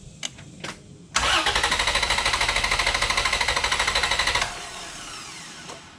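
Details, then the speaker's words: Vehicle cranked on a Lokithor J400 2000A jump starter with the battery removed and EFI relay pulled: strong even cranking about three beats per second for three seconds, never firing, intentionally no start. "It will not start. I have the EFI relay pulled out of the system, so it's just gonna crank, but it won't run."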